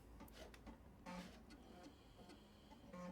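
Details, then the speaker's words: 1986 Apple Macintosh Plus running Microsoft Chart from internal and external floppy drives: quick bursts of dry ticking and buzzy stepping as both drives seek over a low fan hum; normal floppy drive seeking. "you can hear both drives seeking away"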